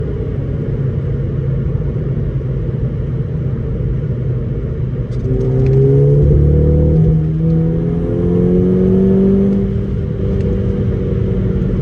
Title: VW Golf 5 gti cylinder misfire